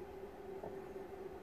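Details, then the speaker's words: 2004 Mitsubishi Shogun (3.0 or 3.2 diesel) with HBB brake fault, ABS/brake lights on: repaired HBB pump motor bench-tested on 12 V supply, steady even hum near 400 Hz with no catches or grinding; runs healthy, brakes to be bled after refitting. "look at that we try the opposite way although the motor will only turn one way obviously and it's working lovely"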